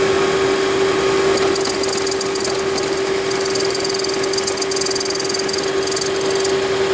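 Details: 2010 Toyota Prius, over 300,000 miles: a steady airy hiss over the running engine, likely from the EGR valve not fully closing; the hiss disappeared after the EGR valve was removed and cleaned.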